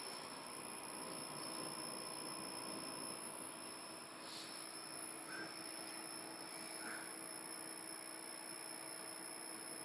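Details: PS3 fat console giving a thin, steady high-pitched whine over a quiet hum throughout; internal source not identified.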